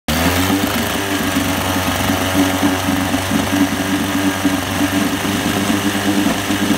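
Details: 1973 Johnson 25 hp outboard idling unevenly with a pulsing, lurching beat rising and falling about every second; surging rough running, cause unknown.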